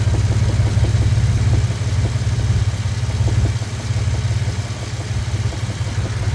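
Light, fairly regular ticking knock, roughly three per second, over a steady low idle hum; a knock of unknown cause.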